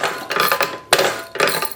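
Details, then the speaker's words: Maytag 72 Twin engine, kick starter mostly won't engage: sharp metallic clattering as the pedal goes down with no firing, ratchet teeth skipping because the base plate is cocked; base plate to be replaced. "Sounds pretty big. Hear that? Just skipped over a bunch of teeth."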